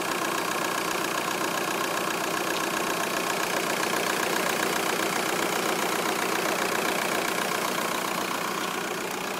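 A steady idle with a faint, regular tapping of roughly two or three beats a second riding over it; an odd noise of unknown cause.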